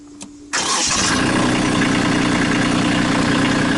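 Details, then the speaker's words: Kubota B2650 diesel tractor at its 100-hour service, started after safety-interlock checks (pedal and PTO): brief crank, then catches at once and settles into a steady, even diesel clatter at idle; normal start. "Alright, now we're going to start it up."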